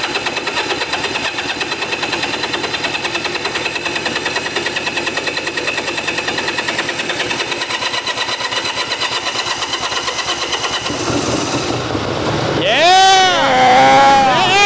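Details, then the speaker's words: Long-abandoned Honda Dream motorcycle, first start after fuel turned on, carburetor overflowing and leaking, blowing debris out the exhaust: small engine pops along at a steady, fairly even idle about three beats a second, then picks up; runs cleanly. "Yes. Honda's dream. Did you see it blowing all that stuff out of the exhaust?"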